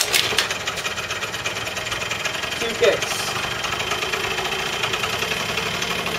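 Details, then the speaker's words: Kymco 50cc two-stroke scooter, 7,441 km, cold start at about 46°F in rain after sitting seven days: catches and settles into a steady, fast, even idle over rain hiss, no misses; normal cold idle. "oh yeah that's the Chi my co pinky CC scooters cold start on pretty reliable scooter"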